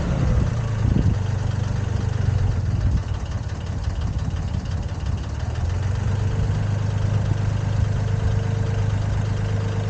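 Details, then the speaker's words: Komatsu PC10-3 diesel at low idle, just enough to keep the battery charging: a low, steady rumble with no knocks or misses, a healthy normal idle. "that's the sound the machine makes it low idle uh just enough to keep the battery charged and not discharging"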